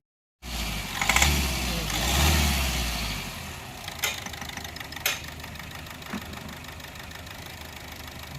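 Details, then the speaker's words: Vehicle with a tak-tak knock traced to cylinder 4, finally found to be an engine problem: oil blows out of the dipstick tube, showing heavy blow-by from a seized piston. Rough start, then harsh idle with irregular heavy knocks. "ये तो oil फेंक रही है भाई साहब, oil जो है फेंक रही है। बंद कर दो। ये तो भाई इंजन होगा।"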